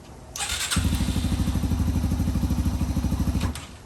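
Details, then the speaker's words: 2005 Yamaha TTR230 single after fuel-air mixture screw adjustment, muffler fitted: steady, low, even thumping with no tick on top; runs well, though the clutch is not working. "runs good though that's nice no more ticking anymore either"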